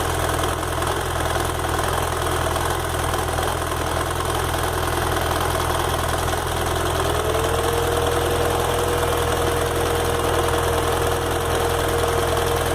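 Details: BMW F 800 GS twin, bought at 2,600 km, hot and leaning on the side stand: light, irregular tick about three per second, a whine joins midway; intermittent, stops when revved. Owner suspects it's normal.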